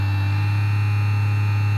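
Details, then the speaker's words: Cheap massager motor on Arduino PWM speed control without buffering, turned down until the motor stops: a steady hard electrical hum with a thin high whine on top, typical PWM coil whine. "and as we turn down the motor stops but you're getting that whine now that's typical of pulse width modulation"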